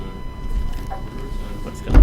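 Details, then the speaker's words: Thin, steady whine at constant pitch under room noise on a livestream mic; suspected to be the fan in a tablet sitting next to the mic, source unconfirmed. "Yeah, they can hear that whine. I wonder what's doing it."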